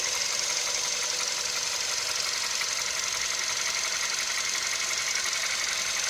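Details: VW CFNA engine hot at operating temperature, idling: a steady, light metallic tapping about two beats a second over a hissy background; internal engine knock.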